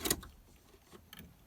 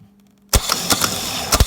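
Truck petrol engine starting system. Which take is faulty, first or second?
first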